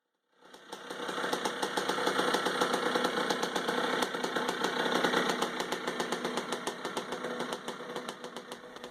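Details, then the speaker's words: 1978 Suzuki RM100 two-stroke with a new carburetor, after moving the needle clip to the top to stop flooding: it starts first kick and settles into a crisp, even pop; running properly, with no oil yet in the transmission. "so I put it up all the way to the top and the bike fires up first kick now so that's good"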